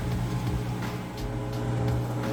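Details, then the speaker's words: Amana HE top-load washer, first spin of the rinse cycle on a normal cycle at the large setting. A steady low hum with no thumping, scraping or knocking; it spins pretty fast and smoothly, a normal spin. "the first span going into the men's Cycles what I mean see it's spinning pretty fast nice smooth operation"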